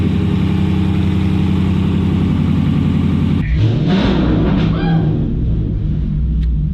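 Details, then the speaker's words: Used 6.1L Hemi takeout engine, heard under the hood before shipping, as a swap for a Dodge Magnum SRT8 whose engine blew up at about 280,000 miles. Deep, even V8 idle, then clean throttle blips rising in pitch; healthy engine. "good sound in 6.1 swap under the hood this one's going to be a motor transmission belt driven accessories ECU ECU sounds great"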